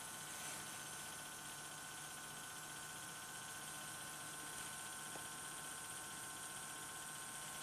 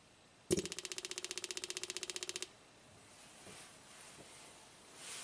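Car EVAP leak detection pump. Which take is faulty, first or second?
first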